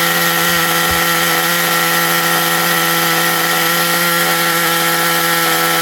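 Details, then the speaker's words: XTM Baja Outlaw vintage RC truck nitro engine being revived: high buzzy engine held at steady revs, slightly uneven and raspy; needs carburettor tuning badly but runs, light pinch, something noted as sounding like burning. "Yeah, it needs tuning big time. It really does need tuning like a lot, but it runs."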